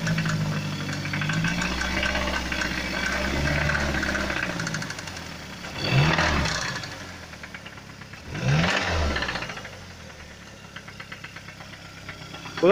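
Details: Mazda CX-7 engine: light, irregular knock under the idle, showing between louder surges; engine knock, cause unclear.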